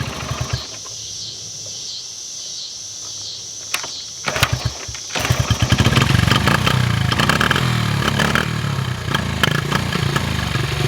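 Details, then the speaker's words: 1974 Honda XR75, 48-year-old single, first start with new replacement carb: cranks then fires uneven and lumpy with no steady beat; sounds little better than with the old carb. "it really doesn't sound much better than it did with the old carb"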